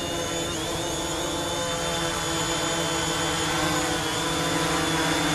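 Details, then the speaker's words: DJI Mavic Pro drone on aftermarket Master Airscrew props hovering: steady high buzz, even pitch, no wobble or rattle; normal, balanced hover, with the props changing motor RPM compared with stock. "you guys think I mean I they look quite cool they sound good it's clear they're making a difference on the RPM of the drone"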